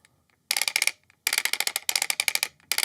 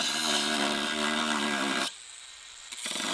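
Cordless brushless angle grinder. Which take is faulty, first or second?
second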